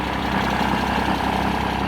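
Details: Mercedes W124/W126 OM603/OM606 diesel idling: loud metallic clacking over normal rattle, not valve train but a worn, dried-out serpentine belt tensioner shock damper; replaced with new.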